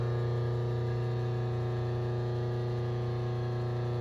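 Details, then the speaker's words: A rotary phase converter hums in the machine shop background while a Honda K series block is indicated and shimmed for decking: a steady low electrical hum at constant pitch with no rise or wobble; normal converter hum. "sorry for the h of the phase converter in the background I can't do much about it I can turn it off I guess"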